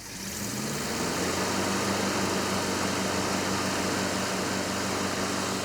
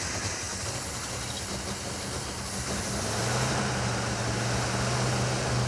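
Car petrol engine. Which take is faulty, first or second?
second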